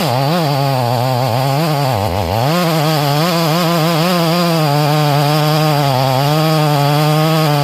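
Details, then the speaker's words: Rebuilt Stihl MS440 chainsaw with 28-inch bar, carburetor freshly tuned, cutting about three feet of red oak at full throttle: strong, even high-revving howl, dipping briefly then pulling clean; running well, slight stumble on the backside. "Michael, dude, this thing running spectacular, man. Spectacular, brother."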